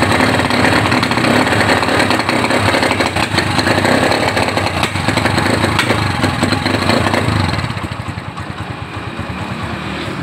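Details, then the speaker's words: Honda GL Neotech motorcycle, initial condition before repair: engine revs unevenly, stuttering and breaking up as throttle opens; symptoms include high fuel use and black spark plug, cause suspected, not confirmed. "motor ini kondisinya hidup tapi pada saat kita pakai atau gas dinaikkan dia terganggu"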